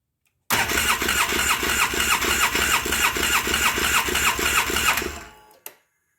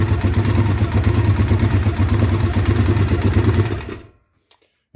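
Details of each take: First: 2009 Polaris Sportsman 800 that sat about six months, fuel system dry after the pump was primed: a steady fast starter churn, about three beats a second, that never fires even with throttle; not enough fuel pressure yet. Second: 2009 Polaris Sportsman 800, sat six months, bad fuel pump, injection cleaner in fuel; injectors possibly gummed: engine held high with firm, even low drone, no stumbling, before cutting off; pulls cleanly mid-range to wide-open throttle.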